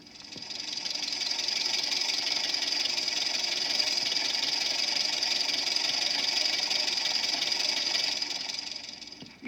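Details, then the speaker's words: Tappet clatter on a running petrol engine: a badly adjusted tappet clattering lightly and rapidly, putting unnecessary strain on the valve gear; easy to put right. From a 1968 magazine flexi-disc of common engine faults. "guessed it badly adjusted tap it's clattering away and putting unjú and unnecessary strain on the valve gear"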